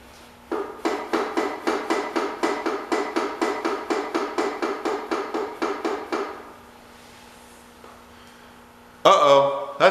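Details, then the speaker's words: 1985 John Deere 210 garden tractor, first start after sitting about 20 years: sharp, evenly spaced knocks about four a second for six seconds, then silence; suspected rod knock, PTO being checked, cause unconfirmed. "well jesse judging by that i think we've got rodnock i don't know if you guys heard that or not take a good listen"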